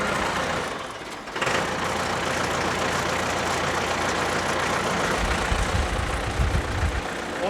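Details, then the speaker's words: Diesel Bandit 200XP wood chipper started with the Murphy oil-pressure switch held in, levelling out at low rpm. Steady low rumble settling into an even idle with no knocks or misses. Normal diesel idle. "so we're gonna hold that in and we're gonna start the machine it's gonna read and level out at a low rpm for now"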